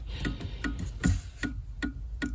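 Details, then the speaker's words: 1999 Honda Odyssey with HVAC control module lights just blinking and non-working rear defrost: sharp, even clicks about 2.5 times a second from a relay inside the fuse box, chattering as it tries to engage the rear defroster. "um the rear def Frost doesn't work either but I hear it clicking like it's trying to engage that relay for the RAR defroster but it's like blink blink blink blink"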